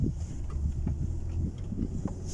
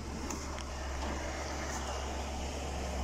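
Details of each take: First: 2016 Ford Expedition in 4WD low, after rear limited-slip differential oil change with friction modifier for turning chatter: slow turn gives only a low steady rumble, no chatter, shudder or clunk from the rear axle; differential quiet and healthy. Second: 2016 Ford Expedition, before oil change, full-lock left turn: quick uneven ticking about three or four a second over low hum, rear tire grabbing as if braked, worse with more speed, scanner shows no faults; rear limited-slip differential clutch chatter.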